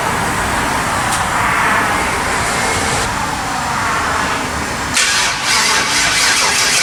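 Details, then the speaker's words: LS-swapped Chevrolet S10 V8 with MSD ignition, first fire-up after a build: steady starter cranking with no catch; carbon-fouled spark plugs suspected, plugs then cleaned and coil wiring checked; cranks but will not start. "thank you that doesn't sound right that's why it won't start plugged your carbon foul"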